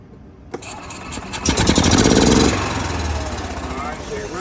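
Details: Gas Club Car DS golf cart that had been running rough, during pedal micro switch testing. It starts right up, revs briefly, then holds a smooth, steady run with no stumbling or misses.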